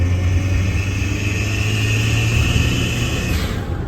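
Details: Daihatsu Mira while driving: thin steady high squeal over a deep rumbling drone from a leaking exhaust manifold; the cause was a part found loose by hand, a free fix.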